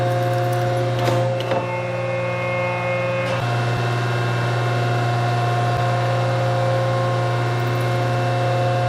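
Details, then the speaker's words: 1943 Rockford metal planer running: steady low motor hum with even machine tones and no knocks or rattles; the old planer runs smoothly and sounds healthy. "well my baby's not broke baby's been doing fine in fact i'll show you a little clip all those little shaper guys"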